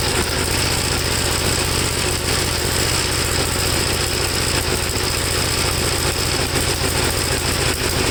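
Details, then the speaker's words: 1954 Gravely single-cylinder tractor, second cleaned carburetor, no choke, engine hot: ragged, stumbling idle that never settles; spark plug black, owner suspects fuel foul from too-rich running whatever he adjusts. "the plug is pretty black it looks more like it's a fuel foul than anything i don't know to me it's just running too rich no matter what i do"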